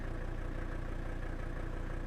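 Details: Old Mercedes diesel warming up at idle on the ramp with no visible smoke. Steady, even diesel clatter with a smooth low rumble and no misses or knocks; idling healthy.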